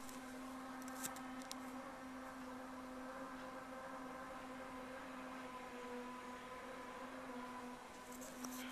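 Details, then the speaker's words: Steady, low, fixed-pitch buzzing drone heard through an apartment wall next to the stove, growing worse over 48 hours; the source is unknown and a service technician could not identify it. "don't know if you can hear that, but it's horrible. It's obscene. It's been like this for 48 hours."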